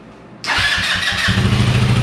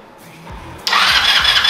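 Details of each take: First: Yerf-Dog Spiderbox go-kart, cold weather: small engine catches and runs a few seconds, then its beat turns choppy and sputters out; owner suspects it needs a carb clean and dislikes cold. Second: Yerf-Dog Spiderbox go-kart with a new GY6 150cc carburetor fitted after rebuild: short crank, then catches cleanly and runs with a steady buzz without sputtering. Normal start after repair.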